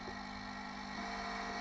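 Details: 1987 Sinclair ZX Spectrum 128k +2 on AA batteries, supply just above its 6.4 V cutout (normally 9 V): low steady buzz with thin high whine growing slightly louder; undervoltage, about to cut out.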